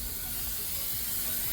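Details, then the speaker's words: Ferrari running: steady loud hiss of venting steam over a low engine rumble as coolant boils off from somewhere in front of the engine, leaving a large puddle of coolant; overheating, exact leak not yet found. "the steaming sound does not sound great it's just venting from somewhere in front of the engine"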